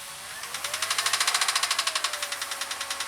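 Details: 2001 Jeep Grand Cherokee engine with sharp regular ticking, about three or four per second, over a faint hum that rises with revs. Knocking occurs when accelerating. Source undetermined.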